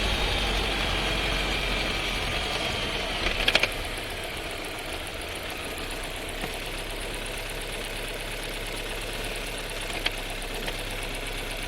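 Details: New Skoda Scala 1.5 TSI with dry-clutch DSG, six months old, about 3500 km, heard in the cabin: a steady hum, then one sharp clunk as it downshifts into the stop position; a harsh DSG downshift, undiagnosed, awaiting the dealer.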